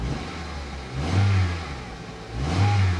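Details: Car at a Copart auction lot, with air conditioning that blows only hot air: two quick blips from idle, revs climbing and dropping back cleanly with no knock or misfire. Healthy rev.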